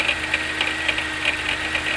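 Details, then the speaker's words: 1992 Oldsmobile 98 3.8L at idle: a sharp, regular knock or clunk about four times per second that tends to go away when revved and seems to come from the top. A failing harmonic balancer is suspected but not confirmed. "you know, uh, you know, this is with the engine on while idling. As you can hear, there's that knocking or that clunky"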